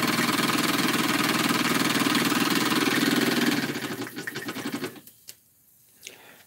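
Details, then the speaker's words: Small model steam engine, warmed up: quick even chuffing about four beats a second for several seconds, then fading out; runs nicely, normal. "it runs pretty nice not very difficult at all"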